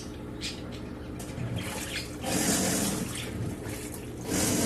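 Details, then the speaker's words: Samsung 18 lb washing machine in wash cycle: low, rough droning hum under sloshing water; clutch lever/arm not engaging the transmission gears properly, fixed by calibrating the clutch. "pueden notar el ruido extraño entonces vamos a pausar la y vamos a revisar por debajo"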